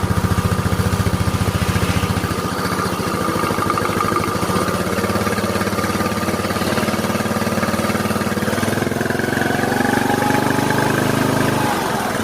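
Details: Yamaha Mio Soul scooter, previously very noisy rough engine, running after engine reassembly: steady, even putter at idle, no knock or tick; smooth and healthy; normal idle.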